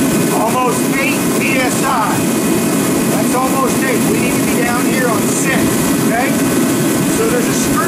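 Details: Ready Heater 170T torpedo heater that was cutting off with smoke, fuel pressure gauge fitted: loud steady roar with no surges while fuel pressure is set too high, before adjusting down to 6 PSI, which changes the tone.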